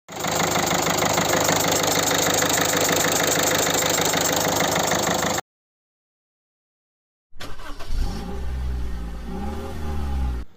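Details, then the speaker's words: Peugeot 308 1.6 HDI diesel running: sharp regular chuffing puff about three times a second; compression leaking past one of four injectors, under-tightened from factory; fixed by new seal and copper washer, torqued, others retightened. Injector seal compression leak. "Ese fogueo nos viene a través de uno de los cuatro inyectores."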